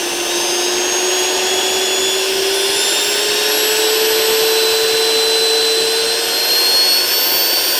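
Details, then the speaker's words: Perfect 10L commercial vacuum on a variac with replacement controller, checking for shorts: 5 A at 32 V up to 6.8 A at 50 V, no fuses blowing; steady clean motor whine creeping higher in pitch, no stutter or grinding, normal. "5 amp at 32 volts so we're not blowing fuses we're not you know nothing like that that's 50 volts 5-0 6.8 amps"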